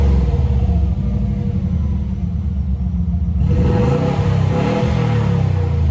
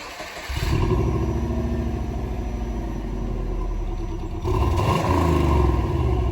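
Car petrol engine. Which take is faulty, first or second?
first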